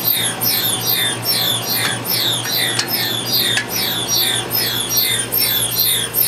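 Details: Pulse tube cooler lines on the Keck Array telescope at the Martin A. Pomerantz Observatory, South Pole: loud rhythmic whooshing pulses, a bit over one per second, falling in pitch each stroke; pulse tube cycling normally.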